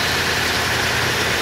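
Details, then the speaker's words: 1986 Chevy K30 at idle: constant high hissing whir over the engine; after a wobbling part tore up the belt and was replaced, owner suspects the power steering pump next and plans to replace it, lines, Hydro Boost and master cylinder. "And so I'm thinking the next culprit's got to be the power steering pump. So that's going to be probably one of the future repairs I'm going to do, is changing out the power steering pump, all the lines, and upgrading the Hydro Boost and master cylinder in it."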